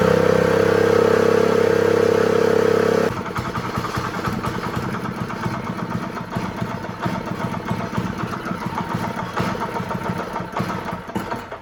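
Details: Honda GX120 small single-cylinder engine on a roofing shingle loader, started after reassembly with spark and fuel confirmed, kill switch disconnected: a brief steady tone, then an even, quick putter with no misses. Normal running.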